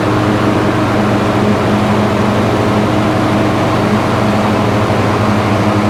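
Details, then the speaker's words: Husqvarna lawn tractor, 26 horsepower V-twin, about 500 hours, deck unused for years and likely rusty and seized: reaches 3300 rpm no-load but drones low and labours when electric PTO is engaged, bogging. "top no load speed of this engine it's 3 300 rpms it's sitting right at 3300 um but as soon as you engage that pto um it just does not get up"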